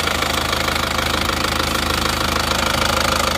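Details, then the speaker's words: Isuzu Panther Touring diesel from Madiun at warm idle after repair; gets smoother as it heats, even clatter about two and a half beats a second with no misses. "itu kalau semakin panas malah halus [Musik] suaranya halus halus temperatur"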